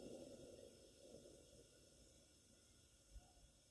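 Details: Coleman 237 kerosene pressure lantern, made in England, barn find, running on its original old kerosene after a few pumps: a steady soft hiss with a gentle roar underneath, even and unbroken, the burner running cleanly at pressure.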